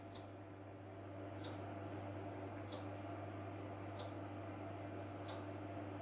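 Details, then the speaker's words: Indonesian PC with no display output, unused for about 1–2 weeks, powered on: sharp ticks roughly every 1.3 seconds from the hard disk over steady fan hum, a clicking hard disk; cause not yet determined. "kita langsung saja kita Nyalakan pc-nya nah ini ya kita Nyalakan untuk pc-nya dan untuk hardisk ada bunyi ya"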